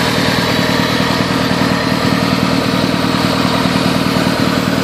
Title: CELICA ST202 MISFIRING